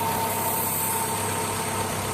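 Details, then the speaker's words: Corsa 1.0 16V that had a broken timing belt, at steady idle: a thin constant hiss over the engine from the intake hose running to the throttle body, where the air leak was found. Intake air leak. "Je ne sais pas si vous pourrez entendre un bruit, c'est dans ce tuyau ici, quoi C'est celui d'admission, il vient de l'admission au corps"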